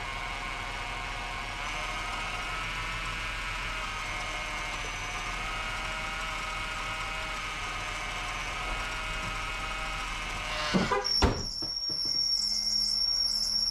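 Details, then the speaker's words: 2001 Ford Taurus idling: steady high-pitched squeal cutting out abruptly when belt removed; belt drive squeal, fluid not aerating, belt to be cleaned. "maybe I can fill it up there we go got the diesel Creek squeal going on"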